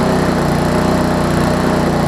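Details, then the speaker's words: Lawn Chief push mower small single-cylinder engine, turned 180 degrees with new recoil cover, air-fuel mix corrected and needing starter fluid on cold starts: fast, even buzz with no surging or misses; normal running. "i think part of it was because the air fuel mix was a little off originally but i can show you that the air fuel mix is pretty good right now so we'll go ahead and run it real quick"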